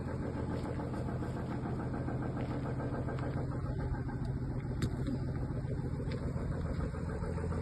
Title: Audi a6 3.0L TDI BRUIT MOTEUR